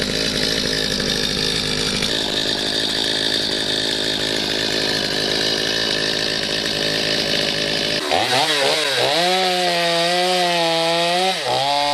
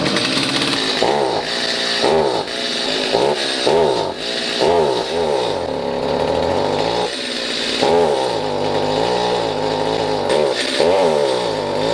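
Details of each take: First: Stihl MS250C chainsaw after replacing a bad, bogging carburetor with a new OEM Stihl carb, no screws adjusted: high steady revs, pitch sags into wood and recovers without bogging; running and cutting properly. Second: Stihl MS250C chainsaw, long stored with bad fuel, carb cleaned and rebuilt and L/H screws turned out without change: each throttle squeeze makes pitch sag and stumble; bog from defective carburetor.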